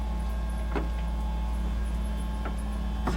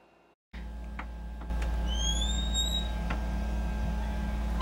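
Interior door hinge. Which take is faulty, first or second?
second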